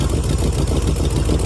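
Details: 1971 Chevrolet Monte Carlo with old 350 V8 at idle after carb swap, new cap, wires and plugs: heavy, lumpy idle with irregular thump and loping beat; owner believes camshaft lobe is wiped.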